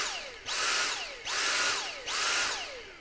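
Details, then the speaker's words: Dyson V6 cordless vacuum with the trigger held; the motor whines up and drops away about every 0.8 seconds and keeps cycling. Suspected dead battery, after first checking that the top filter is clean. "It's almost like you're pulsing the trigger like I did there. As you press and hold the trigger, it'll just cycle like that and just cycle."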